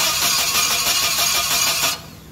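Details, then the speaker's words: Cranking no-start with a new ignition coil and new battery, coil lead held near the cylinder head cover to check spark: steady starter whir with even compression pulses, never catching; no spark. "so first things first let us create what he said that there is no spark so that's from the ignition coil just pulled it out close enough to the cylinder head cover let's see if we get any sparks"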